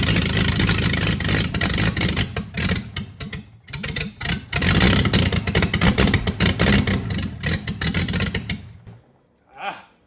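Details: Freshly rebuilt Triumph TR6 six on first start, cold, on chokes, carbs not yet adjusted; catches and runs unevenly, revs surging and sagging, then dies. Runs well once warm with chokes off.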